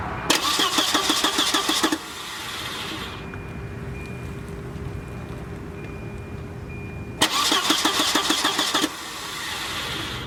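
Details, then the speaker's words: Volvo 940 turbo cranking during fuel-delivery test with battery freshly charged; two bursts of steady cranking about three turns a second, never catching; no fuel coming from pump, found to be a failed inline fuel pump. "it looks like there is no fuel coming out of that pump so let's see it's either gonna be a let's play shoe or a bad fuel pump"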